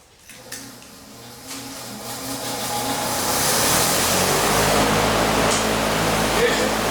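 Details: Freshly built Ford 429 ThunderJet run on the floor, with good oil pressure: catches and climbs to a fast, steady hum that never settles back down; high idle blamed on the carburetor.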